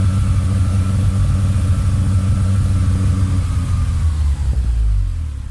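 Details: Mitsubishi Lancer EX turbo revving: heavy, lumpy, uneven rumble then dropping away; rough running persists despite replaced plugs, leads, coil, cap, rotor and MAF, swapped ECU, and in-spec coolant and intake temperature sensors; cause unknown.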